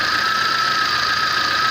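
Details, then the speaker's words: VAZ 21099 after a burnt valve and its gasket were replaced; the earlier misfire, shaking and hunting idle are gone: steady, even idle with no stumbling or shaking, compression now equal on all cylinders. "Ничего не троит, все работает, мотор не трясет, все здорово,"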